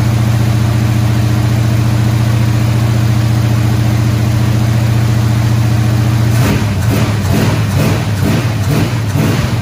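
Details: Squarebody Chevy C20 V8 held at fast idle around 2,000 rpm after correcting a distributor 180 degrees off; steady, even high-idle drone, rougher pulsing late on. Run about 15 minutes; valve train later got a little noisy.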